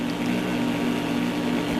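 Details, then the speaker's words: Cheap generic laptop power adapter, heard through speakers cranked to full volume: steady buzzing hum with a few fixed low tones, no rhythm; switching noise from a poorly shielded adapter. "See, now that's cranked up and it's pretty noisy. But that's right full blast."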